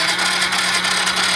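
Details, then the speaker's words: Motorcycle that won't start, key on and push-button start with a still-weak battery: sluggish, strained starter whir with a steady hum that never catches; slow cranking, engine won't fire. Next checks: fuel pump, spark, compression. "Susin natin. Tapos i-push button. Medyo mahina pa rin yung battery niya."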